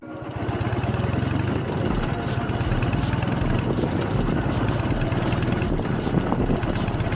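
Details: K-750 motorcycle after reworked, welded and repainted mufflers to cut noise; even, low, lumpy twin-cylinder idle with steady beat and slightly loud exhaust, no knocks or misses: normal idle, owner finds it acceptable.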